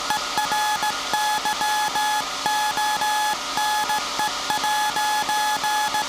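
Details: SAQ Grimeton 1924 Alexanderson alternator VLF transmitter on 17.2 kHz CW, December 1st 2024 centennial transmission: clean steady tone near 850 Hz in Morse dots and dashes over soft hum; normal CW keying.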